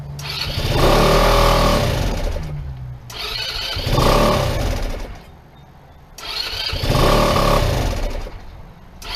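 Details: PGO T-Rex 150 scooter (about 2012), unused for years; repeated cranking bursts catch only briefly and die, no steady idle; owner suspects the carburetor diaphragm, which has a crack down the side and may not seal, pointing to a fuel delivery problem.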